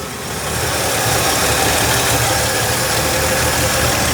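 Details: 1963 Ford F100, sludged engine, just after valve adjustment: steady, even idle with soft regular tick, no loud valve clatter; much nicer than before.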